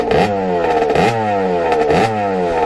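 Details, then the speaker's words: 1989 Kawasaki KX80 big bore two-stroke after pilot jet changes, blipped from idle. Sharp revs fall back to a steady buzzing idle; still smoking but less than before, slightly rich, owner unsure whether to go down another pilot jet. "you can see it's smoking but not quite as much as it used to there's the smoke I don't know have to go down another pilot jet but it seems like it's smoking the original amount so that looks pretty good"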